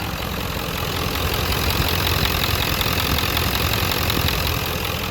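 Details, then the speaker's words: Diesel donor truck with three-inch downpipe, idling: rough uneven chatter and hiss over the clatter, soot near the turbo; owner suspects both up-pipe seals blown, causing the exhaust leak. "a lot of soot back there by the turbo so i'm pretty sure that both up pipe seals are blown and that's where um the exhaust leak is coming from"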